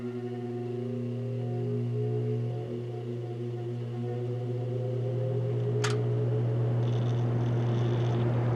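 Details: Vintage General Electric 3-speed reversible box fan, heard from the back during a run-up: steady low motor hum with smooth, even drone, no rubbing or rattle. Normal running.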